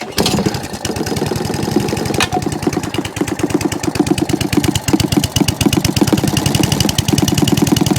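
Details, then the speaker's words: Job-lot single-cylinder mower, revved off choke, with a carburettor thought wrong for the engine and possibly needing mixture adjustment: fires in an uneven, stumbling beat, revs hunting instead of holding steady. Governor arm and spring not connected, fuel leak present; carb swap may be needed. "So the governor arm's not connected, but it ran, so a bit of fine tuning there. The governor spring's not connected, got a bit of a fuel leak as well coming from somewhere, I can see."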